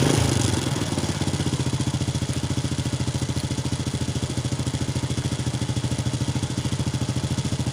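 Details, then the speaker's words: Honda Wave 100 single-cylinder running steadily with an even, quick thump and no stumbling after clogged fuel filter replaced and air filter fixed; previously hard starting, wouldn't rev and stalled from poor fuel flow; now normal running. "ก็น้ำมันก็รายได้ปกตินะครับตอนนี้ก็ถือว่าโอเคนะครับ"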